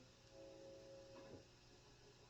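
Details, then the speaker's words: Vintage solid-state Camelot guitar amp with a Fender Stratocaster after neck repair; only a faint, low, even hum between notes, no crackle or hiss building — normal quiet amplifier idle noise. "Listen to how quiet that amp is. Really nice."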